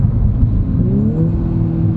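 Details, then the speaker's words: Untuned 2018 Audi B9 S4 in dynamic mode, after the turbo was replaced because of a loose wastegate: the engine pulls cleanly with a smooth rising whistle, a normal turbo spool with no grinding. "it sounds so fresh but it honestly seems like you have a brand new turbo that's what you do have"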